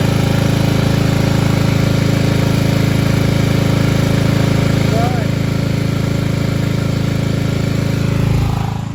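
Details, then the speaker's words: 1995 Craftsman LT4000 lawn tractor single-cylinder engine after removal and sump gasket replacement, no battery fitted: steady even beat, no misses or knocks, settling near the end; idling nicely, normal. "So yeah, all right, let's but I mean, yeah, it's idling nice. I mean, I could lower it a little bit, but that's about good."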